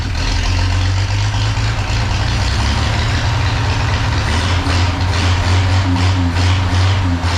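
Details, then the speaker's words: 1932 Chevy truck "Rockabilly Rat" before tune-up, plug wires just refitted, ignition points not yet gapped: loud low idle with uneven, lumpy, wavering beat; rough idle. "it's still obviously got some issues like you said I haven't gapped those points yet I'm going to run out of here for now"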